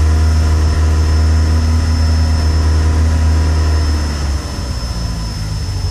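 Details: Peugeot 106 GTi idling cold: lumpy, uneven stumbling beat with a dip near the end; misfires and cuts out below operating temperature, clears above about 5000 rpm and when warm; began after a hard downshift to 2nd; temp sensor replaced, cause unknown.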